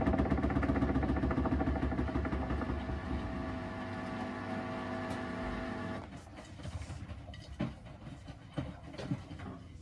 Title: Samsung washer rattling VERY LOUD. What’s the issue comment below